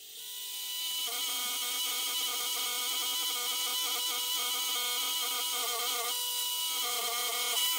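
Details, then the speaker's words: Gas-fired Stuart 500 series model steam boiler with its Stuart Models safety valve blowing off: harsh steady hiss with fast fluttering chatter, three or four pulses a second; owner replacing it with a pop-type valve. "it's fitted with the Stewart models safety valve which makes a horrible noise I'll now shut up so you can hear it"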